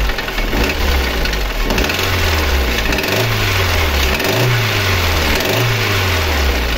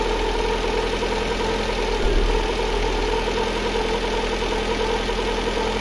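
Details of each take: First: Lada Granta 8-valve petrol engine idling: fast steady metallic knock and ringing; no piston-to-head contact found by borescope. Teardown showed skewed connecting rods, likely striking the crankshaft webs, with wear on cylinders one and three. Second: Lada Granta 8-valve after an engine repair with the valves faced for proper shim clearance: a steady, even idle with none of the earlier ringing or knocking. Sounds healthy.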